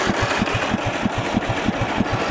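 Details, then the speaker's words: 1998 MTD Yard Machines 15.5 hp lawn tractor, just after freeing a seized starter, on a weak jump pack: even, slow chugging of about three beats a second but it never fires; spark or fuel unknown; cranks but no start. "all right well we freed up the starter so we know we have an engine that you know should run I don't know if we're getting spark you know um or fuel"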